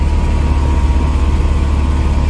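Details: 1995 Mercedes-Benz E220 2.2i W124 Cabriolet, which previously would not start due to an immobiliser/central locking fault: smooth, even low rumble at idle with no knocks, misses or squeals; engine settled and running normally.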